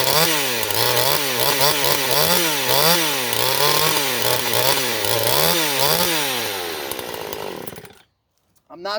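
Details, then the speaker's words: Neotec NH843 (Husky 543XP clone) chainsaw, new out of the box, with only the carb adjusted: at full throttle it surges up and down about twice a second; the carb screw settings are suspected. "on eye on on throttle there guys i don't know if you could hear it but that's not me doing that that's the saw doing that because i'm being smooth with my my grip again i gotta play with that carb a little bit"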